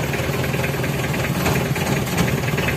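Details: Mitsubishi L300 diesel, engine still hot, emitting white eye-stinging exhaust smoke; owner suspects a leaking injector or possibly broken piston rings. Heavy, uneven idle with a lumpy knocking beat and slight shake; rough idle.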